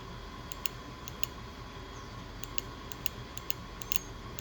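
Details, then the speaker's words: Ford Ranger 3.0 2000 with misfire, new fuel injector bench-tested off engine pulsed with a 9 V battery: sharp, crisp distinct clicks; new injector opening properly, whereas old failed injector made no sound. "Usamos una batería cuadrada de 9 voltios y vamos a hacer la prueba correspondiente. Escuchemos cómo se escucha el nuevo inyector."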